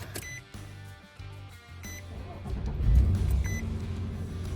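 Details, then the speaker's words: Nissan Frontier in cold weather, after replacing a dead battery: a couple of chime beeps, a brief crank, then it catches right away and settles into a steady idle; normal start. "Alright, one start and it cranks right up."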